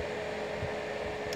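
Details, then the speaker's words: Homemade box fan built from a heater with elements, thermostat and knob removed, on a test run: steady airy rush with a faint low hum, even throughout with no rattles or rubbing, minimal vibration; runs cleanly. "a very clean white noise it's a good white noise"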